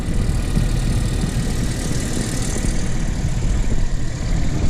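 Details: Renault Kaptur 1.6, one year old, 25,000 km, after warm-up: deep, even idle rumble; the loud cold-engine knock from the right side of the engine has gone; normal warm idle.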